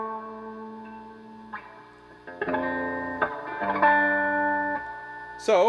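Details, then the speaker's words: Dr Z Maz 38 Senior amp after replacing a microphonic resistor that caused reverb feedback: clean guitar notes ring out with full reverb and no whistle or feedback building underneath. The reverb is normal with no squeal. "listen to this reverb sounds great I'm not hearing the high-pitched squealing or feedback"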